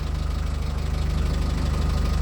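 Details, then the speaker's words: Newly rebuilt BMC 1.8 diesel, first cruise out: even, rapid low thudding about twenty beats a second, no more popping as the old engine had; healthy, smooth running. "No more pop, pop, pop. It doesn't sound anything like the old engine at all."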